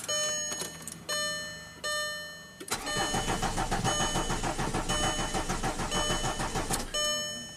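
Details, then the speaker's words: 2005 VW Passat TDI diesel, under 200k miles, after cylinder head and camshaft swap, cranked with cam signal advanced 6 crank degrees: starter churns at an even pace, roughly three and a half turns a second, never fires; crank no-start, injector waveforms abnormal. "Okay. Alright, so very interesting. The car obviously didn't start, but look at the injector waveforms."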